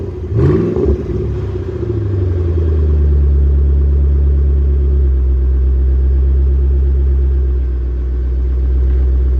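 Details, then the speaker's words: 2008 Ford Mustang, low-mileage, during a pre-purchase inspection, cold start with small mufflers: engine catches and settles into a deep, even burble with no rasp or drone; clean, healthy exhaust note. "Like I was saying, this sounds really good for the amount of exhaust. Just those little mufflers, this sounds great."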